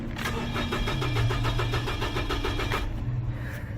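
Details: 2007 Nissan Frontier, day 2 of a crank-no-start diagnosis (engine found not bad despite the previous mechanic's claim; a mechanic suspected the fuel pump, and it starts only intermittently): even cranking about four beats a second, no firing; cut aftermarket wires found, ECM injector pulse being checked.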